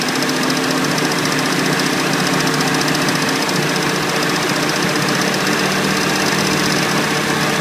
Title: Revving with ticking sound